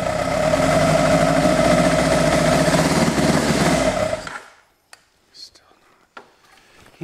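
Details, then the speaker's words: 1986 Kawasaki GPZ1000R: engine runs rough with an uneven, lumpy beat then shuts off; exhaust temps read 220, 220, 140, so one cylinder isn't firing; a loose spark plug wire was found and spark seems intermittent. "220 220 140 means that one cylinder is not firing right ah what happened got to loose spark plug wire"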